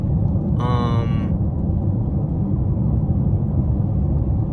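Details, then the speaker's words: 2014 Chevrolet Impala at about 73 mph after a right rear hub bearing and new tires were fitted: smooth low road rumble with no hum or shake; the shake noise is attributed to the old tire. "Even when I put them hub bearings on, I was still hearing that noise. It wasn't as loud, but I was still hearing it. But like now, I don't hear it at all. I just hear the road."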